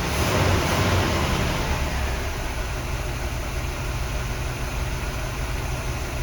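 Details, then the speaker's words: 1975 Oldsmobile Delta 88 Royale after Quadrajet carburetor rebuild, started cold without choke plate; catches with a brief rev, then a steady low rumble running on its own, slightly rough from lean jetting, cold engine and no choke; no flooding. "success running on its own power no flooding so i'm going to hook the choke back up now it's running a little bit rough because these are jetted pretty lean and the motor is cold and there's no choke"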